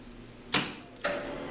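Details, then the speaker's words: Japax wire EDM powered on with the main switch and start button: two sharp clicks about half a second apart in a quiet room as the contactor pulls in. Normal start-up; the machine then takes minutes to warm up. "can hear it click on this is my startup screen takes a couple minutes to warm up"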